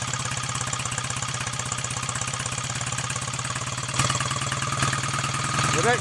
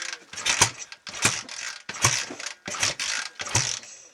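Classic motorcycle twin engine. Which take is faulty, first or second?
second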